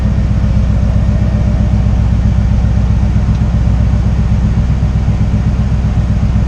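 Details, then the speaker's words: 1968 GMC V8 idling after oil cooler install to fix high oil temps and low oil pressure; steady even burble about four pulses a second, no knocks or ticks, good pressure, no leaks so far; healthy idle. "well it's definitely get good pressure leaks okay so far so good just let it idle for a little bit"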